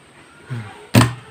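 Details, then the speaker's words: Car starter motor bench test, touching the solenoid terminal: quiet, then two solid metallic clunks a few tenths apart as the pinion gear snaps out and back in; solenoid engaging properly, starter normal. "Jadi kamu dengar tadi bunyi kan? Bila saya sentuh di terminal tadi itu, jadi masuk keluar masuk keluar."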